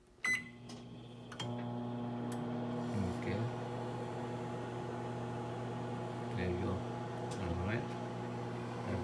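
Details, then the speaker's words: GE microwave after replacing the door switch that tripped the breaker on start: door latch clicks, then steady even hum with fan whirring, no faltering or cut-out; running normally. "So before, when you turn it on, you close and turn it on, and it will trips the breaker. Now it's working again. So only that switch."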